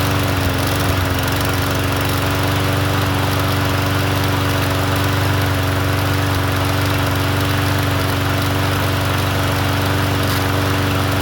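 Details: Troy-Bilt TB110 push mower, sold as non-running, after fresh fuel and cleaned gas tank: small single-cylinder engine runs at an even, steady speed with a constant drone, no misses or surging. Normal running.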